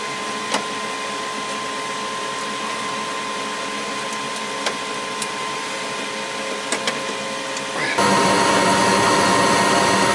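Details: Goodman gas furnace after exhaust inducer blower assembly replacement: smooth steady blower whir with even mid-pitched hum, no rattle or scrape; new inducer running healthy.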